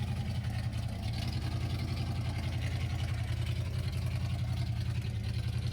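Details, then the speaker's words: 1979 Ford F150 after Edelbrock carb rebuild and tune-up idles low and uneven, loping about three to four beats a second; suspected misfire from loose plug boots, plus flooding from float height, later fixed; still needs tuning. "it's also weird it seems like I'm having a like ignition issue like a misfire"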